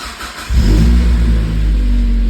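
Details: Mazda Miata starting after the coolant temperature sensor circuit repair, with 5 V now at the sensor connector and coolant and intake temps reading about 72F and 77F: short crank, catches at once and settles into a smooth, even idle.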